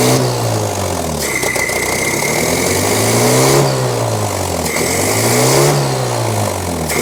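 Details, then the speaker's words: 1983 Toyota 4x4 pickup, 22R 4-cylinder, manual, revived after 10+ years sitting: revs rise and fall smoothly with clean pickup and even beat, no stumble or bog; running well, no longer flooding. "a look good now it's not flooding over now"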